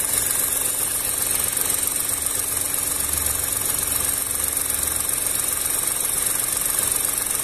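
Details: VW up! TSI at warm idle, actual coolant 97–98°C while dash shows 90°C; radiator fan has just come on slowly, steady hum with soft airy fan rush on top; normal idle with radiator fan running, no leaks seen.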